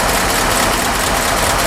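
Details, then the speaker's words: 1952 Ford F4 farm truck, mostly original, about 42,000–43,000 miles, flathead V8 idling in neutral, heard from outside: smooth, even idle with a steady rumble, quiet, no knocks or ticks; everything works as it should. "You probably hear it. You're not going to see much. I mean, it is quiet, quiet, quiet. Everything works just as it should."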